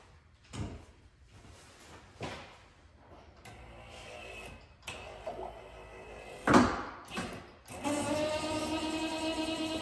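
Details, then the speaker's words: Ford Mustang convertible top not working: clunks of the top cycling, then a hydraulic pump whine that gurgles like a cavitating power steering pump from air in the system; the air clears after a few cycles. "heard it kind of like a power steering pump when you have some cavitation some air in the pump you hear it gurgling"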